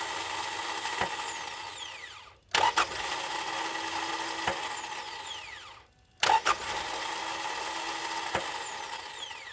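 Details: 2.4L Kia Sorento / Hyundai Santa Fe 2010-2013 / Sonata 2009-2013 starter: high whirring spin that winds down twice without cranking the engine; starter spins without engaging, most likely a failed solenoid-to-pinion lever.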